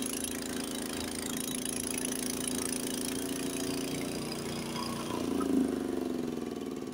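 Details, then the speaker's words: Identical Honda HS80 snowblower at the 3600 rpm spec, in second gear with a full bite of snow: a steady, even high-rev drone with no sag under load, throwing snow 30–40 ft. Healthy engine under load. "now it's going faster not bogging down at all"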